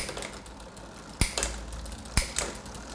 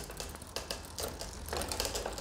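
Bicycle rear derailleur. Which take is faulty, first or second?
second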